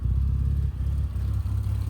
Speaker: It's running way better than what it ever did.